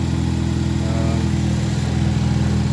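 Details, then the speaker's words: Ford Focus ST first startup after ATP Garrett Gen2 GTX2867R turbo upgrade: smooth, steady low idle with even beat, no ticking or puffing, running pretty good with no apparent exhaust leak. "There it is. It's running pretty good. Doesn't sound like it has any exhaust leak or anything."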